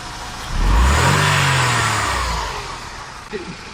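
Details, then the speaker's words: Mercedes belt tensioner damper, after cleaning and greasing it with high-temperature bearing grease, because it had been rattling: clean throttle blip, revs rise and fall smoothly with no rattle; driven at high rpm without issue; normal. "я проехал на высоких оборотах и нормально"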